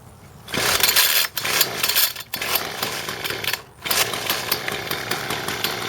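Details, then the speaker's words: John Deere S1400 two-stroke weed eater with good compression that runs but bogs when throttled: after the choke is taken off it buzzes and revs in short bursts, very quiet and choked, from a clogged muffler restricting exhaust. "There it is running. It's very, very, very, very, very quiet."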